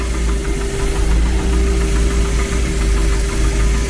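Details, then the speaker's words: Renault 11 TXE carburettor engine restarted after a new pulley fitted, idling barely 500 rpm (target 800): slow lumpy idle, low uneven rumble; idle stop screw not bearing on the throttle lever, later fixed by loosening a screw, possibly the mixture screw. "Là, je suis à peine à 500 tours. Je vais essayer de monter à 800 quand même. Ah mais merde. D'accord. La buté appuie pas où il faut."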